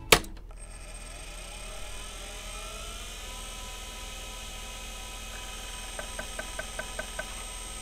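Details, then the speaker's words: Faulty IBM PS/2 Model 30 (8086) on power-up after reseating the hard drive cable and cleaning the connector. The drive motor spins up with a rising whine, then sharp ticks about five a second as the heads try to move. This suggests a mechanical hard drive fault. "because I can hear the head trying to move or doing something"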